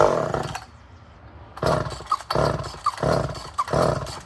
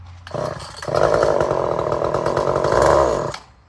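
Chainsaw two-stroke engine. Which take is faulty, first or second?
second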